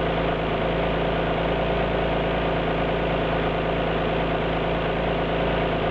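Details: Alfa Romeo GT V6 at steady idle: a faint uneven lope and an occasional stumble in the exhaust beat, consistent with a cylinder misfiring.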